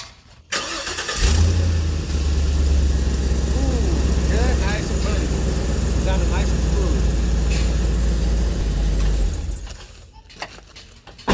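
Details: Isuzu NPR dump truck started right after an oil change and run 10-15 seconds to circulate oil: engine catches quickly and settles into a steady, even low idle with no knocks or misses; normal start and idle.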